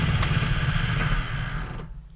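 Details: 2008 Honda Odyssey, about 170,000 miles. Quiet in park, but heavy rough rumble and clatter in gear and the van won't move. Broken CV joint: balls and bearing retainer broken, shaft wobbling.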